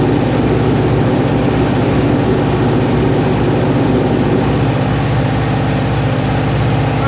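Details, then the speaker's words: Neglected Kawasaki ZG1000 Concours engine after rebuilding gelled-up carburetors: steady even low drone, smooth idle with no miss or knock; runs cleanly, normal running. "now we're going to see if it runs should run good we'll see Wow that sounds good"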